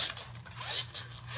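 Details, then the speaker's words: Razor Black Label E90 scooter, new warranty replacement hub motor spun by hand after the old one's bearings failed: light, even whir with no grinding or clicking; bearings turn freely. "That sounds a whole lot better."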